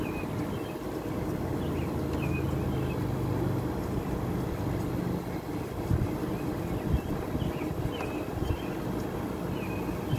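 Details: Window air conditioner running and blowing cold: a steady, even fan rush over a low compressor hum with no rattles or knocks. It sounds healthy.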